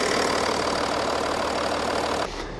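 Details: BMW M550d F10 diesel, parked 5–6 months, after coolant-leak repair (water flange): constant idle clatter with no surges, misses or knocks before it cuts off; normal idle.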